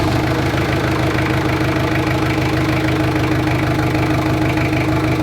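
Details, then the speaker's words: Jeep Cherokee XJ 2.5 turbodiesel after installing a rebuilt GT2052 turbo, after about 15 minutes of running: steady idle with even clatter and a faint constant tone, no misses or knocks; oil drain working, engine healthy. "so I've had the engine running for about 15 minutes and it sounds good and everything's running fine"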